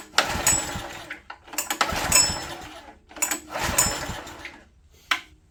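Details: Old Honda EG1400Z open-frame generator, spark confirmed and compression felt, choke off, possibly on starter fluid: three or four hard pull-start bursts a few seconds apart, never catching; no-start, owner then plans to fit a new spark plug.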